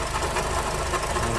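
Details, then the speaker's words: 2006-2011 Honda Civic Si (K20) idling before water pump replacement: rough churning growl with uneven rattle; the pump seems to be starting to leak coolant, pointing to a worn water pump bearing, to be replaced with a Gates pump. "So, still making that noise. I think it's starting to leak coolant."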